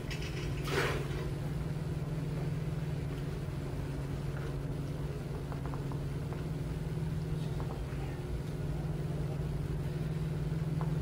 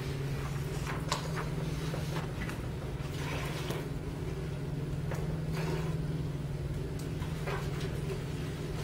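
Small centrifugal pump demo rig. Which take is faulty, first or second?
second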